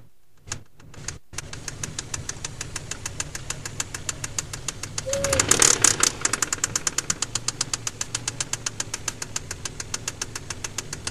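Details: KLZE V6 at steady idle: a sharp, crisp metallic knock about four times a second; the engine spun its crankshaft bearings on cylinder No. 6, producing rod knock.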